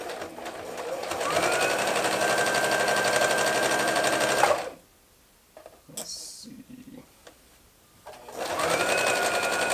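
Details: Domestic modern Brother sewing machine after rethreading and correcting low top tension: even quick stitching about four beats a second, steady hum, no knocking or grinding, pausing then resuming smoothly; running properly after user-error fix.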